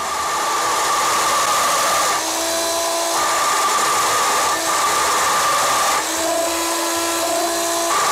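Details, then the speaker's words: DIY drill press drilling metal for a Gingery lathe bed: harsh, ringing squeal jumping between pitches as the bit chatters. The machine shakes and the chuck wobbles when tightened. "I'm I'm going to crank the volume back up so you can hear the chattering let me know if the sounds is terrible to you as it does to"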